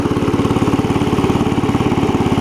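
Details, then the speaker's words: Cub Cadet 70 garden tractor after drive repair, cruising in third gear, which previously did not work, stopping with brake and restarting: even, quick single-cylinder thump under light load, no misses or surging; normal drive. "oh that's so much better of course you mash on the brake then stops put it in gear it goes"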